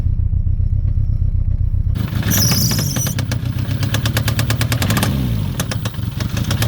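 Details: Citroen ZX 1.9 starting: the engine chugs over, catches and revs, with a sharp regular tapping riding over the running note. The engine knock's cause is unclear.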